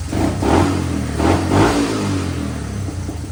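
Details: Honda 185s three-wheeler with a ported stock carb converted to E85, timing fully advanced: the single-cylinder thumper catches, revs in quick blips, then settles to an uneven idle and runs fine.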